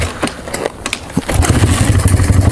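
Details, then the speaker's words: 1995 Honda XR200R, cold engine on full choke: ragged, uneven pops before the single catches into a lumpy idle, struggling to keep running; cold engine stumbling on choke. "all right it's not gonna run it's not gonna keep running but we'll get it we'll get it"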